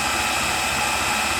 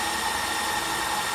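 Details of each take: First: Makita drill on a repaired lithium-ion battery in a run-down test rig: high motor whine at constant pitch with no dips, surges or rattles, running strong at full speed. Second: Repaired Makita lithium-ion battery pack running a test rig, near 2 minutes: steady high motor whine, pitch starting to sag as the pack depletes; motor slowing from depleted battery.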